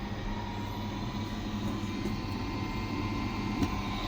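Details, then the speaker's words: LG 9 kg wash / 5 kg dry washer-dryer combo that washes but won't dry, in dry mode after 20 minutes of spinning: steady, even whir with a low hum, no rubbing or rattle; drying fan running normally, sensors still suspected. "The fan is running. So after a few minutes, this should be hot."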